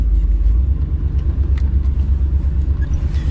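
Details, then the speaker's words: Pickup truck V8, cold: deep lumpy rumble with uneven beat about three pulses a second, missing on one cylinder, running on seven cylinders and shaking the truck; owner thinks it's just cold and will warm up. "running around with seven cylinders for a while that's crazy took me a while it's really notice it was like this is just gonna warm up or is it gonna get you know something wrong"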